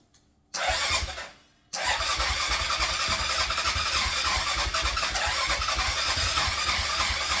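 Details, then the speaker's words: Yamaha Grizzly 660 ATV with the carb cleaned (idle valve was clogged); it has spark and gas. Steady, fast cranking about three to four turns a second that never fires: cranks but won't start. It is backfiring badly and may be slightly flooded; cause unconfirmed. "it's still cranking no starting so here we [ __ ] are"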